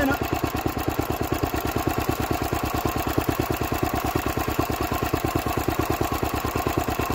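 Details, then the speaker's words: Old Lister D stationary engine, first run in 40 years after belt starting from a Petter W1H; slow, heavy single-cylinder thumping about three beats a second, slightly uneven firing; rough running. "there we go my well she barked off we had life out of this list today so that's hopeful"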